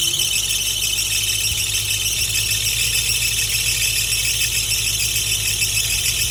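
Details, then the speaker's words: Nissan 350Z VQ35DE first startup after valve stem seal and timing chain replacement, airbox temporarily connected; constant high-pitched squeal over idle, suspected loose accessory belt, to be tightened. "I think you guys heard the squeaking noise probably is the is one of the belts which isn't very tight so I'm going to ahead and tie that belt"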